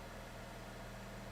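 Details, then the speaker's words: 2012 GMC Terrain 2.4L four-cylinder after MAF cleaning and injector cleaning for lean misfires and rough idle: steady, even idle with low constant hum, no misfires heard, not perfectly smooth but far better than before. "I mean it's not perfectly smooth but it's I don't hear any misfires"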